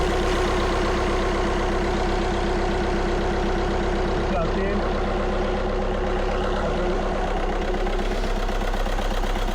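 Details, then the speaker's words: Audi A1 diesel with misfire, engine idling: heavy uneven lumpy beat, sounding like a dead miss on one cylinder; injector circuit fault code, suspected electrical injector fault, to be checked with oscilloscope. "the way it's running, it sounds like a dead miss, as in that cylinder is doing sod all."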